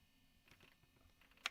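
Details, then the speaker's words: TASCAM 788 digital multitrack recorder, after recording for a while: faint, irregular dry clicks a few times a second from the internal hard drive as it plays through a song. "But yeah, the hard drive is making is making an interesting noise."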